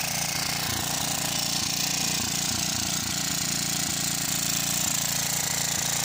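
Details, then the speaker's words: Cement mixer's small single-cylinder engine first run, no load (mixer drum not driven): uneven popping, speed surging and dropping; governor hunting because it isn't under load. "so so you can hear that guys that she's running she's in here there the the governor doesn't know where to stay that is because she isn't under load"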